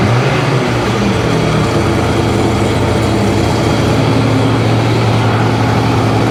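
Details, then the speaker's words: 2005 Sea-Doo 3D 787 two-stroke, possibly submerged, running on hose water with a little oil in the bottom end: loud, steady low drone, even rhythm, smoky, no bottom end knocking or rattle; runs healthy. "on little bit of oil in the bottom end it's Smoky no bottom end noise at all"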